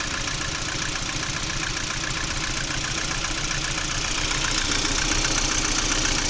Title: Стук двигателя приоры.